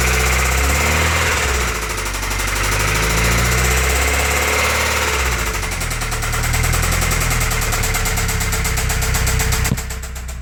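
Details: Toyota 22RE four-cylinder petrol engine idling with a steady, fairly regular top-end knock, which began after the valve cover was reinstalled.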